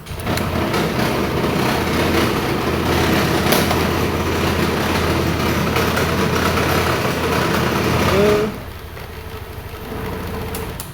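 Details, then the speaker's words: Honda Vario 150 Smart Key, starter button that would not work before, now with SCU pin 6 jumpered to it; starts and runs with a steady, even buzz for about eight seconds, then cuts off. Cause was a poorly connected starter-to-SCU wire. "Ternyata sudah berhasil. Jadi dari tombol starter yang menuju ke SCU ada jalur atau kabel yang tidak terhubung dengan baik."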